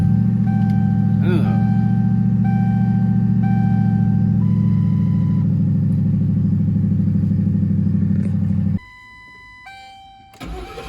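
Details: Ford Crown Victoria restarted after repair: engine catches and settles into a firm, even beat of about three and a half pulses a second before switching off; starts cleanly and powerfully.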